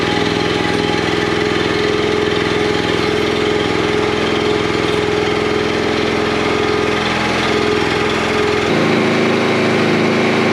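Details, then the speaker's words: Commercial log splitter small single-cylinder engine warming up after hydraulic repair: steady even pitch, no knocks or misses; normal running. "I'll start it up I'll let the the engine warm up a little bit and then we'll cycle this"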